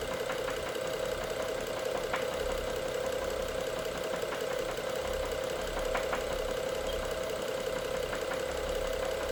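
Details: BMW F07 with the N55 engine at idle: sharp metallic ticks break through a steady idle hum every few seconds, an engine knock whose cause is not yet pinned down.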